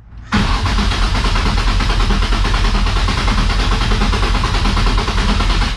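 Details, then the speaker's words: Nissan S13 with swapped VQ35 engine, first-start attempt after refitting the fuel pump, which now audibly primes: about five seconds of steady cranking that never fires; crank no start, owner suspects a fuel-related issue since it fired on brake cleaner. "so now i definitely do hear the fuel pump priming but we still are not get"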